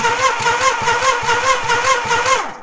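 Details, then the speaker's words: 1987 Suzuki Samurai with dirty carburetor, engine previously seized after running out of oil, spark not yet confirmed: starter cranks at about five lopsided beats a second, no knocking; uneven compression suspected, not confirmed. "Sounds like it's got uneven compression, but I don't hear any knocking."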